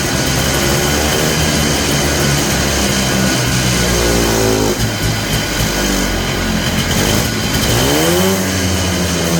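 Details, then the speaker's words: Polaris Trail Boss 250 two-stroke ATV (titled 2000, owner guesses 1988 or 1992), just revived. Buzzy revs sag and surge every few seconds, a hunting rough idle. Owner suspects the carburetor idle circuit is still plugged. Smoky. "just as I thought that idle circuit's not working probably because it's still plugged up"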